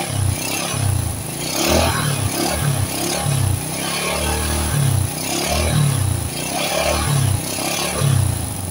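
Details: Supra-style motorcycle with non-Honda "Turbo" engine, after no-cost fix for white exhaust smoke: quick throttle blips rising and falling cleanly over even idle, no misses or rattle; smoke nearly gone, engine healthy.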